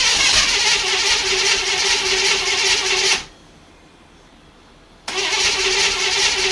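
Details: 1955 Chevy 210 Delray, 265 V8 with glass-pack exhaust, first start attempt in who knows how long: hissy cranking with uneven sputters, a pause, then more of the same. It won't keep running and there is no knock; fuel pumping is suspected, not confirmed.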